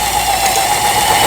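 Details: About 25-year-old Toyota 4071 sewing machine after repair (previously no straight stitch, pattern dial stuck; suspected melted or broken gear), sewing a medium stitch: steady fast whirring hum with even patter, no grinding; runs smoothly.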